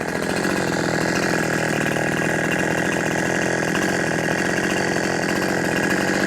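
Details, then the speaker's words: New FARMMAC F372 (Neotec) chainsaw: screams at a steady high pitch but flattens and won't climb; can't rev past 9,700 rpm versus the expected ~14,000 even on the high jet screw; owner suspects the wrong carburetor, possibly port or ignition timing. "i can't get this dang things rev past 9 700 rpm and i should be able to easily crank it into 14 000 rpms right"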